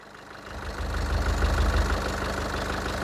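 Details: Nissan Urvan E25 ZD30 diesel with VP44 fuel pump, suspected of fuel pump trouble. After a one-kick restart with no check-engine light, it settles into a steady, even idle after a brief rise, with a low regular beat and a faint tone; it sounds healthy.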